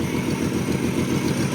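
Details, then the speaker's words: Car that sat almost 20 years, no radiator or fuel system, running on a spritz of fuel: steady, even low idle with a smooth beat and no knocks. Healthy-sounding first run, oil pressure about 40–42 psi. "That was probably too much. Holy shit, it runs."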